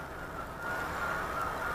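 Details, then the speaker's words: Tower Hobbies P-51 Mustang electric RC plane in flight: steady high buzz near one pitch with a slight wavering edge; motor vibration, suspected bad spinner or unbalanced prop blade, unconfirmed. "need to get a new spinner for that plane you hear the vibration even though it's bad you think it's a spinner of the blade"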